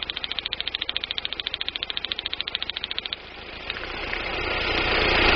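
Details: 1999 Daewoo Nubira 2.0L DOHC U20SED engine at idle: sharp, regular tick about three times a second, then revs climb; misfire checked at the DIS coil, where weak spark is suspected but not confirmed.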